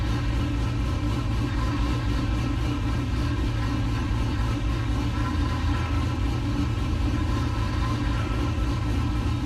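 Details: LS-swapped 1969 C50 farm truck, just after intake install and power steering rebuild with some remaining fluid leak; deep even V8 idle rumble with no misses, knocks or ticks; normal idle.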